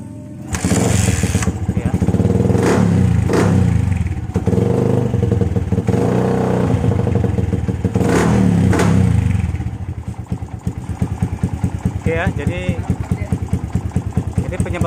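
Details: Yamaha Vixion (old model, full DC system) that would not start because of a weak battery and faulty regulator/rectifier, running after repair: engine catches, revs up and down cleanly, then settles to an even idle with no misses or knocks.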